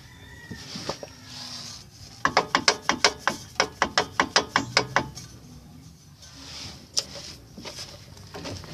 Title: evo 7 clunk sound